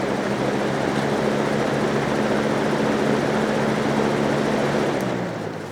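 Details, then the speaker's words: Trash-day fan after repairing a dog-chewed cord, run once it dried out from being sprayed with water, on high: even whooshing air with a faint steady hum, no rattle or scraping, fading as it winds down; it runs fine. "fan works just fine"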